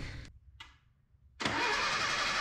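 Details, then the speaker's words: 1977 Datsun B210 first start, fuel and ignition cleaned, carb bowl primed by syringe: starter whirs briefly, then engine catches running loud, ragged and hissy; rough running, cause not determined. "oh my gosh sounds bad [Applause] stinky hey she started wow started right up"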